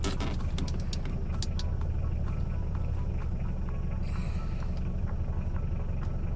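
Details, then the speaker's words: Diesel Mitsubishi Pajero automatic with L (low) gear selected: engine drones steadily at high rpm, pitch held flat because the gearbox does not upshift; normal behaviour in low gear. "ये देखें RPM high है और gear change नहीं हो रहा।"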